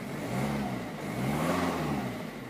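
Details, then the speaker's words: Ford Focus 1.6 TDCi diesel after low oil pressure light episode; earlier squeaky noise quieting as oil returned, pressure light now off; smooth rev rising and settling without knock, sounds good again. "and it sounds quite good again now"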